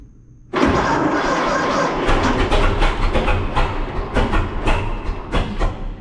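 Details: 1926 Seagrave city service ladder truck, 1013 cu in "F" six-cylinder, first start in 10+ years after long sitting, fuel fed to carburetor; catches then stumbles and pops unevenly without rhythm, flooding from too much gas; owner also suspects a valve stuck open.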